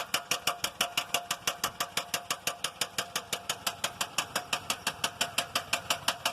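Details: 2001 GMC Yukon XL with the 5.3-liter engine at idle, a knock present since the starter was changed: sharp, even metallic knock about three times a second. Steady engine knock, cause unknown.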